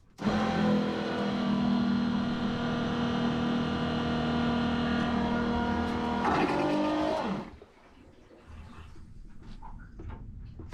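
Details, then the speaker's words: Boat marine WC flush test with plain water, bowl filled completely first: a loud steady motor hum for about seven seconds, pitch changing briefly as water clears, then a clean stop. Noisy but flushing normally. "c'est un peu bruyant comme histoire c'est sûr que c'est pas très discret mais ça marche plutôt pas mal"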